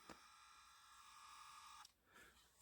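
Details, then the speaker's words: Kato N scale CSX SD40-2 #8186 locomotive at throttle-up: a faint steady high-pitched hum that never spins up, then cuts off; the motor is energised but vibrating and stalled, with the drive shaft seemingly stuck. "oh I hear the motor it's doing something I physically hear the motor vibrating feels like the drive shaft is stuck"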